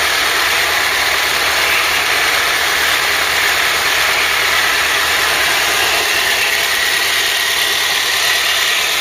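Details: Ford Cortina Mk3 with newly rebuilt 2.0 Pinto engine, auto choke working, warmed up with temperature holding mid-gauge: steady even hiss-heavy idle, no misses, knocks or hunting; normal warm idle.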